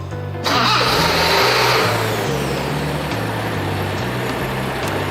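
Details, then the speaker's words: 1975 Toyota Celica Liftback 2000GT with rebuilt engine after restoration: starts first try after short crank, settles to even idle about 1000 rpm, no rattles, low vibration, still needs adjustment; normal start and idle. "一発始動なんだね。素晴らしいな。カラカラと嫌な音もしないし、安定してますね。"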